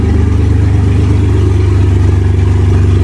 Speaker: all right so I thought this would be fun there's no Muffler we're going to start her up